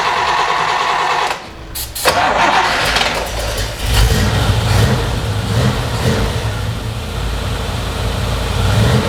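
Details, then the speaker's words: 1960s Chevy V8 muscle car first start after many years sitting, old fuel drained, fresh 91 octane with Sea Foam added: brief cranking, a pause, then catches and settles into a lumpy, deep, steady idle; distributor still to be tightened. "then we need to tighten down this distributor good it sounds like a hot rod so"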